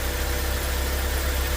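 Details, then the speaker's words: 2015 Joylong Chinese van, petrol/alternative-fuel capable, running on petrol: low uneven chugging idle, as if skipping, with stalling and power loss; ECU already replaced elsewhere without fix, oxygen sensor being checked. "okay so I'm noticing the rough Idol that the customer is experiencing yeah is oh"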